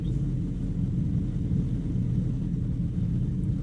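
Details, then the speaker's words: 1975 Chevy C10 with an 83-87 C10 climate control unit swapped in. With the engine running, the AC compressor clutch engages, the rumble turns slightly heavier under load, and cold air comes out: AC compressor clutch engaged. "so I heard the compressor kick on engine's running differently cuz compressor the clutch is engaged"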